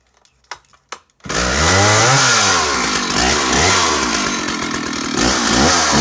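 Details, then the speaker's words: Stihl 056 AVSEQ 87cc early-80s chainsaw on restart: fires, revs rise and fall a few times, then returns to a steady idle beautifully quickly; running healthy. "So she comes back to idle beautifully quickly"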